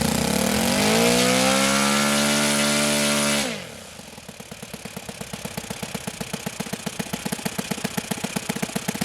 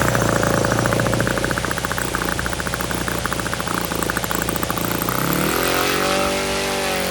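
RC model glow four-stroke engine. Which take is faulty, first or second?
second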